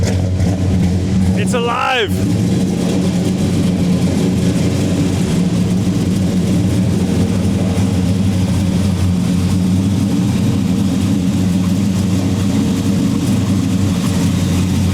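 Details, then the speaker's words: 1970 Dodge Charger R/T SE 426 HEMI V8 on carburetors, cold after sitting on a trickle charger: deep choppy loping idle, steady, no ticks or knocks, good oil pressure; solid engine, possibly needs carb tuning. "uh it sounds good it has good oil pressure which is a huge plus um doesn't make any weird noises under the hood so you know maybe it needs some tuning but all in all it's a it's a solid engine"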